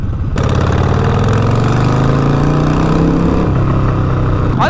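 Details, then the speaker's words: Harley-Davidson V-twin at a loud, lumpy idle with a raw, chuffing exhaust note from a leak where both front cylinder exhaust nuts went missing. It pops loudly on deceleration after hard throttle, and the fix is new nuts. "as an exhaust leak that definitely sounds like there's an exhaust leak going on i'm going to check that"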